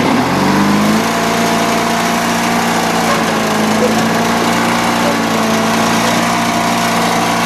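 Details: Old Bolens small tractor just acquired, runs, drives and deck spins: small engine settles into a steady, even drone with no misses or knocks; healthy, normal running.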